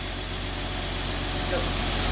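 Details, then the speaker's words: 986 Porsche Boxster after engine replacement and rebuild, before MOT: smooth even low idle with steady exhaust note, no misses or knocks, though a ticking sound is questioned; normal idle. "that actually does sound sweet sounds good"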